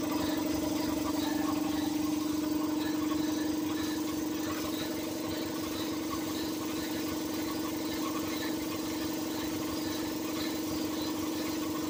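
A steady mid-pitched drone with a fast rattly pulse over the idling engine; the A/C compressor is making an abnormal noise, cause unknown.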